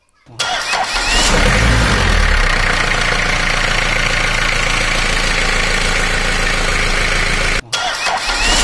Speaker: the sound of a proper cranking usually includes clicking sound followed by smooth wearing noise a healthy starter motor produces consistent smooth wearing sound when engaged